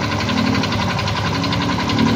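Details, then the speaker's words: Yamaha Mio i 125 scooter at 2,641 on the odometer, idling before repair: a fast, steady metallic knock from a worn crankshaft with loose up-and-down bearing play; it ran quiet after the crankshaft was replaced. "Bale ang Pinalitan ko dito sa motor na to M3 na ginawa natino itong Crank shop tapos may tama na rin yung bearing may halog na rin to"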